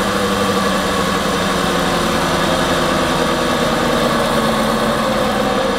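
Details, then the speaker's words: BMW F11 530d xDrive diesel, 416,000 km, on lift with wheels spinning: steady hum and low drone, no knocks; on the road it appeared from about 60 km/h, louder and higher-pitched with speed; judged worn rear wheel bearing, not differential. "ich würd sagen das hört sichm Radlager an"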